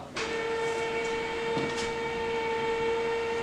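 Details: Electric TV cover roller motor runs to its newly programmed limit after reprogramming: steady, even mid-pitched hum with no grinding or strain, so the roller drive sounds healthy.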